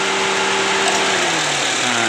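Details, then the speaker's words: Chevrolet Spark 1000cc 4-cylinder after AC wiring fix (ISC fed from AC compressor contact, ECU data manipulated): steady even idle with AC on, settling slightly lower when AC load drops; previously AC made engine shake badly and stall. Normal idle. "coba AC nah begitu ya dia udah normal awal mula itu AC sebentar aja langsung mesin bergetar bergetar parah terus mati"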